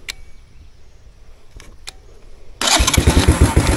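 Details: Dead three-wheeler battery, jump-started with an Andeman E-P155 Pro jump starter: a few faint clicks, then it fires straight up into a steady, even chug; normal start once the battery has enough power.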